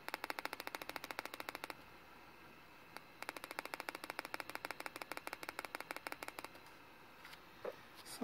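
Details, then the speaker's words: Compaq Presario CQ60 laptop: rapid sharp clicking bursts from the speaker when pressed, caused by a shorted speaker wire; moving the wires stopped the clicking and the speaker worked. "there is a shirt in this in this wires here so let's just move it [Music] yeah now the speaker works and no more that uh clicking"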